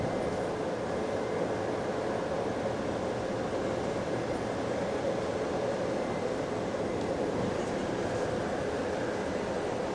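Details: GAL bus EBD67 on route SL4, after its creaking suspension noise was fixed: a steady drone under way with road rumble and no creaking or knocking from the suspension. Normal ride without suspension creak.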